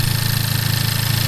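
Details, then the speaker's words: Honda Civic Type R FK8 just after a PRL flex fuel kit install and tune flash, at idle: fast, light ticking over the engine note, louder than before, like something rubbing; source unconfirmed. "I'm hearing a ticking sound, like something is rubbing up against something else."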